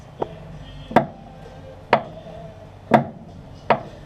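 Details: Datsun 1200 with sloppy steering, engine off: sharp single clunks about once a second as the front wheel is rocked by hand; the idler arm bushing is worn.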